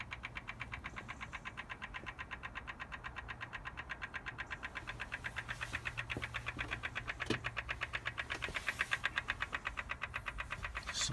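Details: BMW M4 Competition Pack, engine and ignition off, intermittently from cold as soon as a door or boot is opened: crisp regular clicks about twice a second over a quiet background, source not identified.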